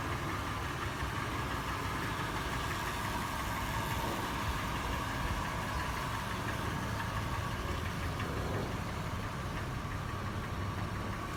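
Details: Toyota FJ, warm, at idle later in the run, after the earlier clatter has turned into a slower, louder, sharper metallic tapping or knock. The tap is faster in park and neutral, slower in drive, and also heard decelerating from 1800 rpm. Cause not pinned down.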